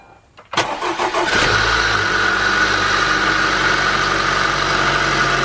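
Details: Honda with a cold-start knock, started at −30°C with the crankcase heater deliberately off, after replacing the VTEC solenoid gasket and flushing the solenoid: it cranks briefly, catches cleanly and idles evenly with no tapping or knock.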